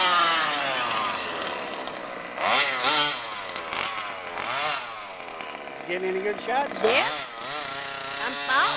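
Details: HPI Baja SS RC car with Zenoah G320 engine and V2 Dominator exhaust, rebuilt, on 91-octane ethanol-free fuel with Bel-Ray oil at 32:1; high-speed needle test: sharp buzzy revs sweeping up and down, raspy top end, running slightly lean (later corrected).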